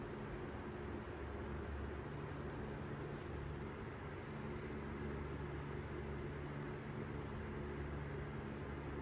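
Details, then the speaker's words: Restored 1954 Emerson 77646AS 12-inch desk fan on low speed, with new capacitor, head wire and cord and a serviced motor. A steady, even low hum with no rattle, scrape or wobble; runs really nice. Normal running. "Motor's been serviced. This one's pretty much been restored. It runs really nice. I use this one almost every day."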